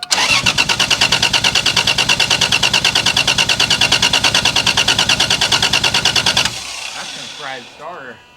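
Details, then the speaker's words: 1987 Toyota Supra with 2JZ-GE turbo swap, sat 2 years, first start attempt after priming fuel: starter cranks steadily about three beats per second for six seconds with no firing; crank no start, later traced to bad injectors. "Try it again. Nothing. >> Keep turning it. >> You lost the spark for a second. >> Keep turning over."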